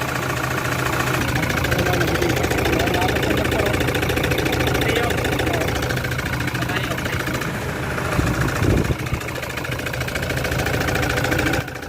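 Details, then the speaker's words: Toyota Fortuner 3.0 diesel with idle vibration and code P0200 (injector circuit malfunction). Idle is lumpy and uneven, loping about three beats a second with heavy shake, sounding like a motorcycle; one cylinder is not firing. "So ibig sabihin may Hindi sumasabog dito na piston"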